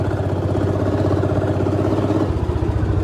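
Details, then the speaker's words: 1955 Lanz Bulldog D2402 two-stroke single-cylinder tractor pulling under load at half throttle, engine at about 1050 rpm: fast, even popping beat that sounds faster because it is two-stroke, no knocks or misses; normal running under load. "engine runs a thousand and fifty rpm it just sounds faster because it's to cycle"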